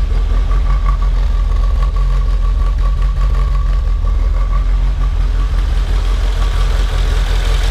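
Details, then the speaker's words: 1972 BMW 2002tii cold start with no choke, header dead cold; it shakes slightly at first, then settles into a steady idle with exhaust burble and starts well; normal cold start idle. "so it actually does pretty good likes to be nice and warm there's not a choke on it so anyways starts up real nice"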